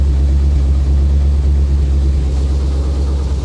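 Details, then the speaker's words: 1985 Chevy Corvette (C4) rescued from a Florida swamp, first run after engine work with carb cleaner and WD-40 dumped down the intake: deep, even V8 idle on all eight cylinders, no misses; slight spitting, spilt oil burning off the manifolds. "now keep in mind i dumped a lot of carb cleaner down there there is a wd-40 dump downer but look at this first time ever look how smooth that"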